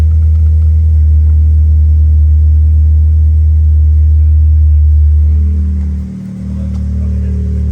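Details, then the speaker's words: 1996 Mitsubishi Eclipse, revived with a new fuel pump after finding bad old fuel, started with no coolant in it: it catches and holds a deep, steady idle with one brief dip, then recovers and runs smoothly. "I ain't got no water in it. I got to put water in it, but you see, she's running."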